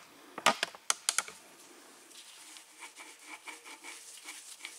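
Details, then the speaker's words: 2012 Trek Navigator 2.0 after rear Shimano freewheel hub and gear replacement with bearing cone tension set: the wheel spins freely with a soft, even freewheel tick and no grinding. Bearings quiet and smooth. Normal rear hub spin. "quiet wheel bearings I can still hear it but it's not grindy and when I feel it it's not grinding smooth"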